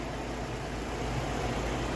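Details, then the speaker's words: 2004 Chevy Trailblazer after thermostat, clutch fan and idler replacement for code P0128: steady even idle, smooth low rumble with heater blower hiss, no knocks or ticks, bleeding last air bubble from coolant; running healthy. "no issues don't forget to put your transmission lines back in the little holders um yeah everything's good I don't think we have any issues whatsoever"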